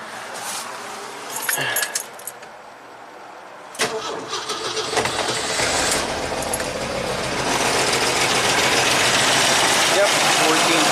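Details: 1985 Jeep CJ-7 Renegade with aftermarket Holley Sniper EFI and ignition, after a diode was fitted to stop key-off run-on: catches after a short crank into a steady, even idle, charging 14.25 V. Normal idle.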